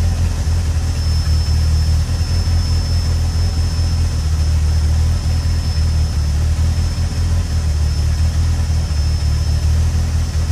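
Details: Peugeot 106 GTi idling cold: deep rumble with slight uneven dips, stumbling misfire that cuts out unless revs are kept up, clears around 5000 rpm and when warm; began after a harsh 2nd-gear downshift; new temp sensor fitted, cause unknown.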